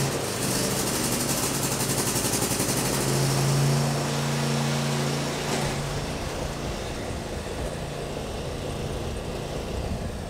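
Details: Cub Cadet XT1 riding lawn mower, no-start traced to the blade-engagement safety switch: small engine starts and runs with a steady, even putter, no misfires or stumbles.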